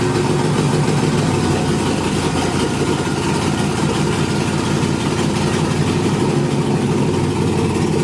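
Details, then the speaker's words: Nissan 300ZX with LS V8 swap, first startup on new engine harness: steady, even idle with deep rumble and open-exhaust rasp, no misses or knocks; coolant temp sensor and some other sensors not yet plugged in. Engine idles and runs normally. "but yeah so you guys heard it um it idles it's running"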